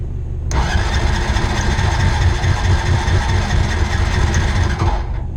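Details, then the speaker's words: 2001 Honda Rancher ATV left outside for years, revived with new carburetor, fuel petcock, pull start and battery (ethanol gas had fouled the old carb): cranks, catches and settles into a steady even idle, a little smoke; runs fine. "we're gonna let it run for a few minutes make sure we don't have any leaks anywhere a little bit of smoke"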